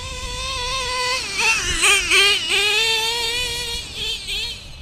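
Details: Stock Traxxas Revo 2.5R nitro engine, Trinity pipe, VP Race 20% fuel, single-speed conversion with 40T spur and 15T clutch bell: high buzz swinging up and down cleanly with throttle blips and settling back; well tuned, normal running.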